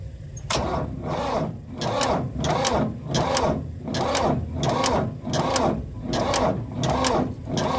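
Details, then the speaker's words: Old Ford backhoe diesel, fuel system bled after the tank ran dry, cranks slowly and unevenly at about 85 laboured turns a minute without firing on a weak battery; jumper cables are needed, and a loose alternator wire was later found. "battery is about that we're probably going to have to put the jumper cables on"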